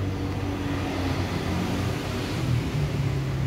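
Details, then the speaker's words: Sliding gate after replacing worn wheels and bearings following 8 years of use: steady low motor hum and smooth rolling with no grinding or knocking, only a slight harmless sound from the upper bearing; normal operation. "Ya, sekarang suaranya halus sekali, tidak ada suara sama sekali. Hanya ada sedikit suara itu dari bagian atas, bearing atas. Ada sedikit suara, tapi tidak menjadi masalah."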